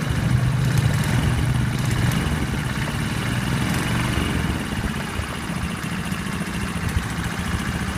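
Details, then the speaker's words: Honda 50/70/90cc single just rebuilt and first started in a scooter, not everything bolted down: fast idle with a light, uneven tapping; owner suspects a loose bracket, unconfirmed. "I haven't bolted everything down, so I suspect there's a little bit of some loose bracket that might be the tapping."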